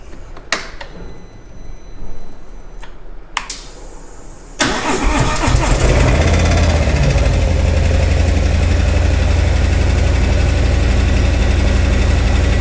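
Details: 2018 Harley-Davidson Milwaukee 8, upgraded from 107 to 114 with a Screaming Eagle Stage 4 kit, under factory warranty; owner reports power loss and knocking. Starter cranks, then a heavy, lumpy idle with a steady knock about three per second; abnormal engine noise, internal damage suspected.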